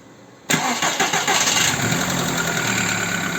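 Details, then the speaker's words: VW Bora/Jetta 1.4 after repairing the alternator (bent rotor shaft, noisy bearings) and fitting a new belt; the belt squeal had persisted after the owner's pulley replacement: cranks, starts at once and idles smoothly with no squeal. Charging at 14.2 V; normal. "машина працює тихенько ніяких звуків немає"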